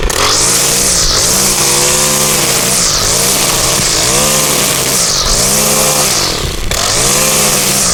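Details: Stihl trimmer after cleaning carbon off the spark arrestor screen with a propane torch: high two-stroke wail holding full revs, dipping briefly every second or two as the line bites weeds, recovering cleanly; normal running.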